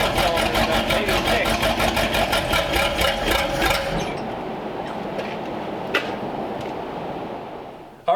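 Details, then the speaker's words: 1932 Ford Schroll Coupe with an Olds engine, first start since 1960 on the stock distributor, vacuum advance not hooked up: an uneven chuffing exhaust beat that fades and dies, loading up and running rich because much is not yet set up correctly; oil pressure confirmed. "we got the run the exhaust sounded really cool um it was loading up obviously we didn't have like a lot of stuff set up correctly"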